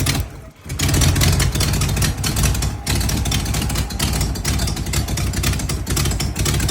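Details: 1993 Ford Bronco 302 with stalling and no throttle response: uneven, lumpy idle that dips and stumbles rather than picking up cleanly; rough idle, cause unknown.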